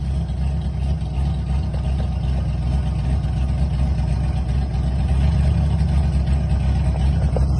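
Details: TI-tuned drift car with new braided stainless PTFE fuel hoses: steady, even low rumble holding a smooth idle with no misses, knocks or hunting. The engine sounds healthy.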